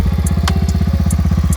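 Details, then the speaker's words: Honda four-wheeler idling after a cold start at about -10 to -15 below, following a neutral switch fix; started after about 30 cranks: steady, even chuffing about fourteen beats a second, no misses or knocks; running healthy. "Four-wheeler started. Cold morning, -10, 15 below. So everything works good, works fine. Running, ready to go."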